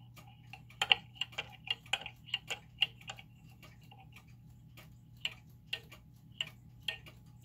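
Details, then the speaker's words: German time/strike pendulum clock, crutch being adjusted after case leveling; sharp ticks about twice a second with uneven tick-tock spacing, crutch pushed a little too far; clock out of beat, then brought in beat. "that's a little too far that way so it sometimes just takes a little bit"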